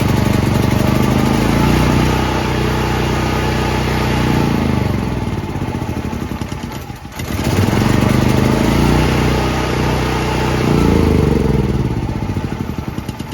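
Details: Brand-new Firman T07573 tri-fuel portable generator, first start on gasoline with choke on start: starter churns steadily for several seconds, pauses, churns again, but never catches. Owner later suspects too little gasoline in tank and unprimed fuel lines.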